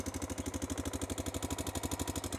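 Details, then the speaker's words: Honda Dominator 650 single at idle, after a shop repair that failed: quick, even metallic rattle about ten times a second on every beat; owner suspects the cam chain tensioner was not replaced and keeps snapping back; engine rattle at idle. "यह बिल्कुल वैसा ही है और यह उसी तरह से शुरू हुआ जैसे पूरे दिन वह पहले से ही खड़खड़ाहट की तरह थी कभी-कभी आप जानते हैं कि जब नीचे प्रकट होता है तो मुझे लगता है कि टेंशनर हमेशा वापस तड़क रहा था"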